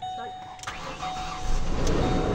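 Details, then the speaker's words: Ford Explorer after an engine replacement and new timing set, check-engine light on: a short crank, then it catches on the first try and builds to a steady running note; normal start, though a misfire and high idle are noted afterward. "Oh, one click. One click mga paps. Andar oh. Andar oh."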